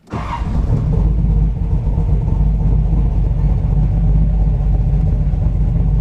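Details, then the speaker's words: 1970 Trans Am V8 that cut out at about 5,000 rpm, after replacing the failed distributor gear and resetting timing: fires straight up into a deep, even rumble with no misfire or knock; normal running. "I had to reset the timing so that's good engine is back in business"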